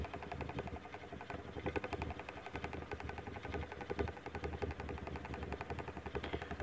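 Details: Antique GE oscillating fan (GE 78X191, model X56867), before service: steady motor hum with loose uneven knocks about twice a second as the armature slides end to end through the bearings, banging the oscillation gearbox; excessive armature end play.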